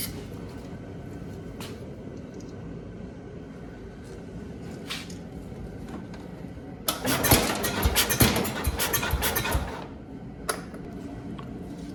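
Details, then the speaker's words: Cub Cadet 127 tractor no-start: about three seconds of uneven cranking chuffs ending in a sharp pop as it spits back through the carburetor; timing or points suspected, not confirmed. "right so I don't know if you saw that but it kind of shot out so that tells me one of two things maybe there's some YouTube Champions on the other side of this video who want to give me some advice but that tells me the timing or the points are not set correctly and it's trying to ignite at the wrong time"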